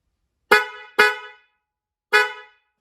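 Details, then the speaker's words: 2023 Honda CR-V after the Wolo low-tone horn upgrade: three sharp clean honks, steady full tone with no rattle; horn works properly. "So I also made a recording from within another vehicle so that you could hear how the CR-V horn sounds before and after this modification."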